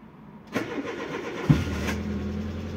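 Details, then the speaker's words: Peugeot 205 Génération 1.4i 75 hp, after head gasket and timing belt replacement, started after exhaust line work: short crank, catches cleanly, smooth soft even idle with no rasp or blowing; much better than before. "bah c'est déjà mieux là c'est bien mieux ah ouais ça change tout là"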